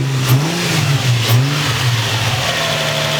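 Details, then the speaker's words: Crashed Nissan 350z running after a start that sprayed oil, needing a new oil pressure sensor: steady, even engine note with clean rises on revs, no knocks or misfires. "So at least we got to hear it start up. It sounded pretty good, right?"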